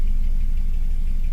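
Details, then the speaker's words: 2007 Suzuki SX4 running rough with check engine light, no misfire codes: low idle with an uneven stumbling beat as one cylinder drops out; oscilloscope shows repeating fault on the number three ignition coil. "So, we have a fault on number three coil and it's repeating itself constantly. You see every time it's pulling down real low compared to the others."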